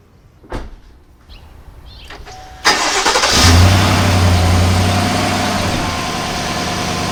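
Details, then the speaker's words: Chevy Silverado V8 at 72,000 miles, after a flush and a change from 0W-20 to 5W-30 oil. The starter whirs, the engine catches with a flare and settles to a smooth, even idle with no ticking; the owner says it sounds better. "So what I'm gonna do is I'm gonna go ahead and take this stuff down, and I'm gonna start up my engine so you can hear what it sounds like."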